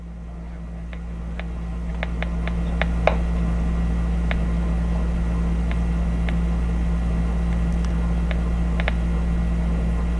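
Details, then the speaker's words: 1960s Channel Master 6506 six-transistor AM radio bought as "working great" but with very low volume, picking up only a couple of stations. At maximum volume only a low hum and faint crackles come through, no station. Cause not yet found. "not getting anything tonight got their song that's just maximum volume right there I don't know if you can hear that get the mic down there maximum volume and it's like nothing"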